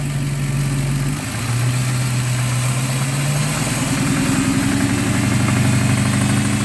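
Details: 2006 Dodge Charger R/T engine: rough, uneven knocking over the idle that keeps up as revs rise and settle; cause not identified.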